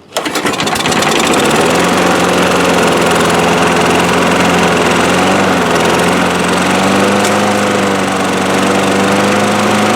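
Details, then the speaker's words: 2003 Craftsman 6.25 mower single-cylinder after draining much water from the fuel system/carburetor: catches at once, settles into steady even beat with no surging or stumbling; running good, bowl not leaking, needs oil change, shut off by choking. "damp here we go it's working running good definitely needs an oil change"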